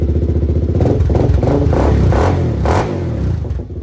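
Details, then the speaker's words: 2006 Suzuki LTZ 400 with aftermarket pipe, first ice-cold start after carburettor cleaning and jetting (stock pilot 22.5, main 130), fresh gas, choke off; starts instantly, even single-cylinder beat revving cleanly on quick blips; normal running and revving. "Let's see if she starts up. Wow. Just like that. It's ice cold too."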